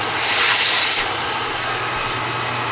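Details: Repaired Dyson DC22 vacuum, previously broken and clogged, tested at the hose end after reassembly: strong steady airy hiss and even high motor whine, brief louder rush as it pulls in dust, suction healthy.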